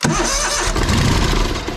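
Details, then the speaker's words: Lesco zero-turn mower, Kohler CV20 20 HP V-twin, after charging-system repair for battery-not-charging fault; finicky starter: harsh cranking burst catches and settles into an uneven mid-pitch chug, starter hesitant before the engine picks up. "Alright, so I'm going to fire it up here and put the meter on the battery, and we'll see if it's charging now. This starter is a little bit finicky."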